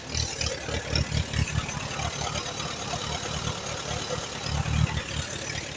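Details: 1938 Allis Chalmers B with Waukesha engine, recently bought: it chugs unevenly at idle with stumbling beats. It runs only on choke, plugs are a bit rich, and the carburetor needs rebuilding.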